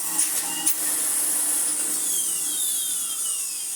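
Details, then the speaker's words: Electrolux Dolphin Silver Electronic 1000 Z2225 straight-suction cylinder vacuum, before refurbishment: high thin whine over the motor's airflow hiss, sounding dry; owner says the motor needs oil, suspected bearing lubrication issue. "Ooh, that motor needs some oil."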